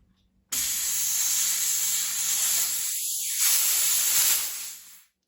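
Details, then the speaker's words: Hatsan Blitz air rifle refilled to 3000 PSI from scuba tank, after leaking fill valve was rapped to seat: sharp steady hiss for about four seconds, tapering to silence; normal bleed-off of fill line, all air off. "Okay, there we go. All right, so all the air is off of it."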